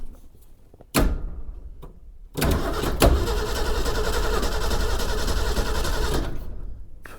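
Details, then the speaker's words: 1961 Ford Econoline van that sat over 30 years, cranked via jumper wire after cleaning the battery cables: the starter spins the engine about four seconds with an uneven, galloping rhythm and never catches, no power to the coil. "well, got a bit of a gallop, but she seems to be turning over."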